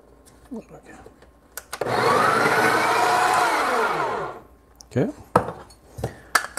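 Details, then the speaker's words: Breville Barista Express built-in grinder grinding a handful of beans: about two seconds of grinding with a thin, odd high-pitched whine riding over the burrs; cause unknown, to be checked later. "did you hear that that wing whining sound that's right again i i don't know the high pitch noise that is that's something i have to take a look at it later"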